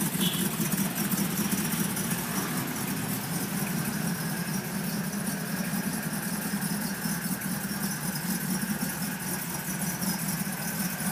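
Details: Mercedes G55 after Kleemann install: uneven lumpy idle with faint steady hiss; vacuum line issues suspected.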